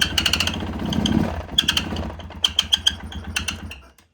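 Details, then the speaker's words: 2016 Polaris Sportsman 570, revved lightly with the crank position sensor working. Revs die away with sharp metallic clicks and low power: engine knock, suspected sticky connecting rod or crank issue, not confirmed. "I after hearing that I'm pretty certain the connecting Rod's sticky and uh it needs to be replaced"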